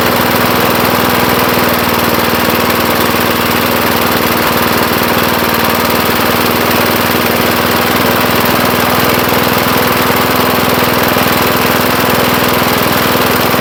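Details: 1975 Murphy's 20-inch push mower, first run after long storage in a shed: loud, steady drone with an unbroken low hum and no stumbles or surges; the engine runs smooth and healthy.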